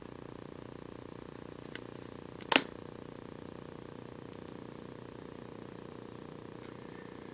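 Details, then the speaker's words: Vizio TV: faint steady buzzing hum from the LCD backlight at mid brightness, with one click; humming occurs between roughly 21 and 99, gone at 100 or below about 21. "if you don't want it that bright you'll hear the humming when you get down around 27 21 I don't hear it at all"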